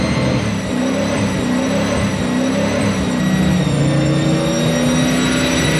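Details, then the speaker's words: M90-supercharged 1UZ V8 in a Toyota Prado, first run after wiring loom fitted, throttle stop not yet set so idle is high; thin constant high whistle over the engine, a suspected intake air leak being searched for. "débranchez le collecteur de fermeture à glissière donc avec le bruit qui couine dans nos oreilles pour obtenir un soutien-gorge ke propre, nous commençons simplement à le mettre autour de n'importe quel point que nous pensons que l'air pourrait entrer dans ce moteur provoquant ce grincement aigu"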